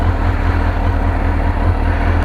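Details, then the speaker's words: 2002 Suzuki GSXR 1000 just after first start following yearly maintenance (tank rinsed, pump cleaned, new air filter and plugs), temp 70 degrees: deep, smooth, even idle with steady low rumble, no misses, knocks or surging; idling healthy. "get on discord here and let everybody now [Music] she's alive see what they'd say purring like a kitten"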